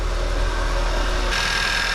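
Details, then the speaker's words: 2011 VW Tiguan 2.0 turbo TSI idling after replacing the plastic coolant crossover pipe and auxiliary water pump, not yet at temperature: even, steady idle hum with a smooth low rumble and no knocks, ticks or squeals; normal idle, no warning lights. "And we're going to look underneath to make sure there's no coolant leaking anywhere while it's running. But everything looks good on it."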